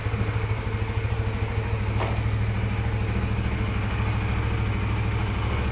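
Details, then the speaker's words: Honda Sonic used motorcycle, about 4–5 years old, about 36,000 km, checked before purchase: steady, even low single-cylinder thump at idle, no knocks or rattles, still smooth; normal idle. "Oke, ini kalau teman-teman dengerin suaranya masih halus ya. Untuk kondisi motor second 4 tahun itu masih bagus ya."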